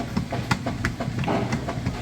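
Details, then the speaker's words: Kenmore direct-drive top-load washer, large load, agitate set to maximum, full of water, lid lifted: a steady, rhythmic clacking of the agitator swinging back and forth, even and unstrained; agitation is normal, with clothes drawn down the center. "See, it's doing an excellent job agitating and getting those clothes vortex down along the center and bottom fins."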